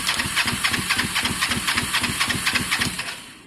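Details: Twin-cylinder motorcycle with the air filter refitted: even cranking of about four compression beats a second with no firing. Both plugs show good strong spark, so a fuelling problem in the carbs is suspected.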